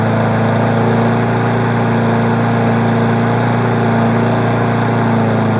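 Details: Weed Eater 20-inch four-stroke mower engine runs at fast idle with a steady, even single-cylinder drone, no surging, misses or rattles; runs smoothly without shaking, though noticeably smoky.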